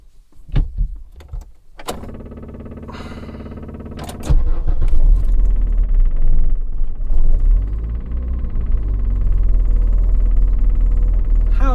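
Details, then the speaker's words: 1982 Renault 9 barn find, off the road since 1994, starting on choke: quick woodpecker-like tapping from a loud electric fuel pump, catches at four seconds then uneven choke idle; exhaust blowing, possibly at the manifold. "loud is that fuel pump it sounds like a woodpecker in the air box"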